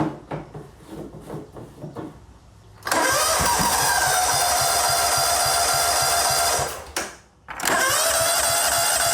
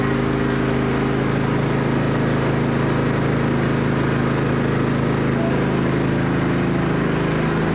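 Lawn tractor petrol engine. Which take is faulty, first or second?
first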